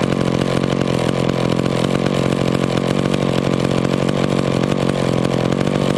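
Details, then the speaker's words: Warmed-up McCulloch Pro Mac 10-10 chainsaw, idle mixture screwed fully in: two-stroke idle stays steady and buzzy, won't lean out; owner suspects a small air leak from worn crank seals, not yet replaced. "okay see that on this one guys this saw probably has a small air leak because i turned that idle mixture all the way in and it still still wanted to idle so it probably has some crank seals going out in it"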